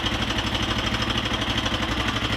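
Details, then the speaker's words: 1999 Honda XR200R single-cylinder at idle: a light, fast tick rides on each firing beat; owner suspects loose valve lash or a worn camshaft, unconfirmed, though it runs and idles well. "I started it right after I stopped the camera but if you can hear that ticking [Music] I'm pretty sure lashes out and a new campaign because I know common problems with these things is their campaigns get worn out a lot"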